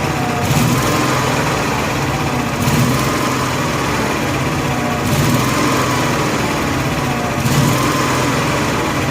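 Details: Honda gas-powered AEC welder generator, electric fuel pump on factory wiring and hoses clamped with no leaks: engine rises and sags about every 2.5 seconds. Fuel-starvation surging; the fuel shutoff was rated for natural gas, not gasoline, and was replaced.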